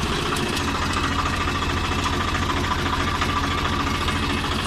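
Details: 855 FE diesel after replacing a broken rocker bolt with a genuine part (had engine noise and black smoke): smooth, even idle with a steady beat, no tapping from the valve gear; engine sounds healthy.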